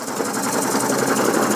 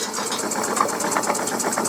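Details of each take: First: Coal-fired model steam puffer boat engine running fast: busy mechanical chatter with steady metallic clatter and hammering; owner suspects too much play in the prop shaft. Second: Coal-fired model steam puffer boat with faulty reversing valve removed, boiler piped direct to engine, 3-inch prop: fast even chuffing about ten beats a second, strong with no stumbles; running normally, some steam leaks.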